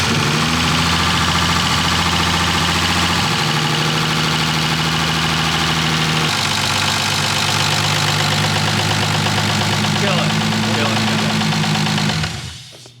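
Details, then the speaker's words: BMW E36 first start-up with newly built swapped engine, lifters still bleeding down: loud rough idle with a steady knock roughly three or four per second before shutoff; not the lifters, source unclear. "That doesn't sound good. That's not the lifter anymore."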